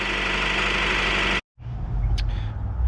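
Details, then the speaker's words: 2000 Honda CR-V, 166,000 miles, after timing belt replacement: fairly smooth idle with a light metallic tick/rattle; bottom timing cover bolts left loose, one contacting the crank pulley. "uh i left the bottom bolts loose so i left this one here and that one there loose on the cover so you can see this one's still in there but it is definitely loose and that's where we were getting our rattle"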